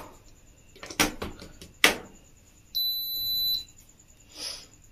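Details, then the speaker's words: Philips Viva induction cooktop after repair with the coil sensor reconnected: handling knocks, then a clean high beep and quiet fan hum as it heats well; normal induction heating. "நான் துருவா கொடுத்திருக்கேன் இப்ப நமக்கு நல்லாவே heat ஆகுது அடுப்பு பக்காவா நமக்கு ready ஆயிடுச்சு"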